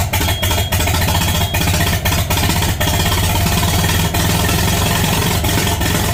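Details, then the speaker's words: International Harvester Farmall 450 tractor, first start after sitting, fresh battery and gas, out of gear, no muffler: loud engine runs rough with stumbles and pops back through the carburetor; owner suspects distributor needs slight adjustment. "now we got a little backfire out of the carburetor and most likely it's because the distributor needs adjust a little bit bit but she runs"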